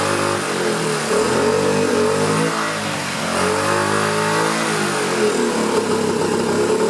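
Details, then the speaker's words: 2009 Honda Metropolitan scooter, carb cleaner sprayed into the air intake at the air filter while running: revs rise and sag unevenly, pitch wandering; improving but not quite right, suspected partly clogged carburetor. "A little too much. That sure sounded like it was helping, didn't it? We're close, not quite there."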